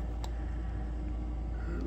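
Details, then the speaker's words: Goodman natural gas furnace after DIY gas valve replacement, heat call: low steady draft inducer fan rumble coming up to speed, no rattles or scraping, before igniter clicks and flame lights; healthy. "let's go up to the garage I hear it spooling up"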